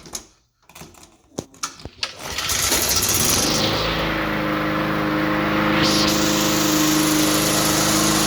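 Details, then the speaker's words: 2004 Cub Cadet Cyclocut mower, Kawasaki 179cc ~5.5hp, cold start after one primer-bulb push: a few cranking pulls, catches and settles into steady even buzz, no misses; tricky to start but fires up nicely, healthy. "it's a little tricky to start up but it does it does fire up pretty nice"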